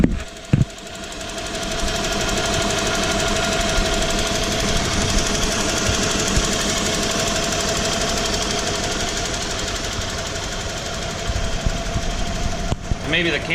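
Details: 1995 Ford F150 4x4 Eddie Bauer, fan, fan clutch and accessories removed, around 1,400–1,800 rpm: steady idle with rough knock about twice a second; cause unclear, owner suspects flexplate, compression check planned.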